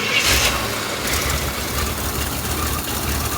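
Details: Rock buggy idling after the idle-control box was plugged back in: a rough but continuous rumble holds steady, with no misses or knocks over the hiss of the open exhaust; normal idle.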